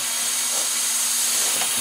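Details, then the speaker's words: VW Passat intake pressure test, regulator about 10 psi, pumped about 3 lb, after boost loss from detached intake boot: steady air hiss at inlet and blow-off valve only, no extra leak sounds; charge pipes holding. "and I can hold this down there pretty hard and I don't hear nothing leaking so we're good there"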